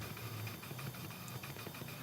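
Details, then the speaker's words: Leak-down test on cylinder 3, vacuum hose removed: steady faint hiss of air escaping into the intake, changing when the hose is covered; cylinder 3 intake valve open, not sealing. "So this is telling us that this intake valve on cylinder number 3 is open, and that's allowing the pressure that I'm putting into number 3 to go into the intake."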